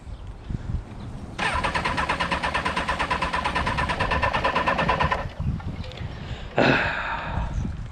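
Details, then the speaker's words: Motorcycle left standing covered for a month, cranked with the key. The starter churns the engine over at a steady pulsing rhythm for several seconds but it never fires. Owner thinks it needs choke; it later seems flooded. "obviously you can hear it turning over it probably just needs a bit of choke a bit of play and we'll get this thing going"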